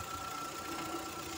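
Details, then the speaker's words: VW Voyage electric radiator fan, with the engine running and a customer complaint of overheating: it hums with a steady whine over a rough, uneven rattle, starts slowly and can be stopped by hand. The fan motor's brushes are worn out. "Pero evidentemente este motor no debe tener más carbones."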